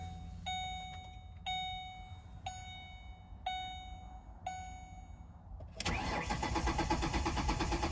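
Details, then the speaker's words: 2008 Ford Explorer: starter whirs in five separate one-second bursts before engine catches and idles; typically needs extra cranking, cooling fan runs full speed at start-up; hard start, extended cranking. "That's actually pretty typical of it. It doesn't like to start sometimes. You'll have to crank it quite a few extra times."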